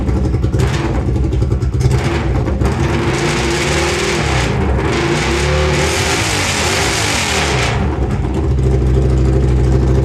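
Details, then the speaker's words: Honda Silver Wing (GL500) V-twin with new custom stepped unequal-length headers, no mufflers: raw, harsh rasp swelling hard with each throttle blip, far too loud; fuel leaking; loud exhaust from open headers. "anyways what I thought would be a 3-day project turned into 3 weeks but um time to see what it actually sounds like okay that's pretty loud"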